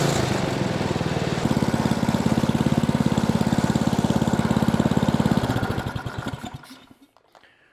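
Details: Ariens Platinum 24 snowblower, Briggs & Stratton 15C134 type 2143-F8, after carburetor replacement (old carb went bad from disuse), throttle about half: fast, even single-cylinder beat with steady drone, winds down cleanly at shutoff; healthy.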